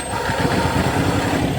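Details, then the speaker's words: Car engine with an uneven, stumbling idle that never settles, one cylinder dropping out, after plugs and ignition coils were swapped between cylinders. The sound changes with one swap but not the other, so the owner suspects the ignition coil; fuel is to be checked next. "nagbabago, pero pag dito wala. Naku, baka ignition coil ang problema."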